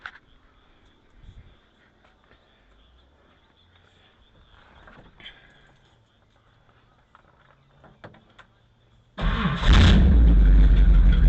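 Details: 1959 Ford Thunderbird V8 with a no-start, after finding low voltage feeding the coil through a failing resistor: after a long quiet stretch it catches and settles into a steady, deep, even idle rumble, though it later won't stay running.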